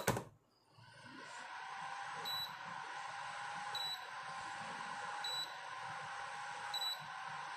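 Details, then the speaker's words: Induction cooktop after repair with thermal paste, heat sink and coil refitted, powered through a series bulb board: short faint high beeps about every 1.5 seconds, normal power-on beep, unit working. "तो चलिए हम चालू करके देखते हैं ये induction चालू होता है या नहीं। तो इंडक्शन चालू हो चुका है।"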